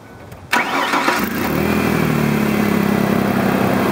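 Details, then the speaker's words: Truck with 6-year-old battery at 12.7 V, started after running headlights about 2 minutes: quick strong crank under a second, dropping to 11 V, then clean start to smooth idle; alternator charges at 14.25 V; healthy. "This battery is running really strong. You saw it dropped down to 11 volts when I was starting it."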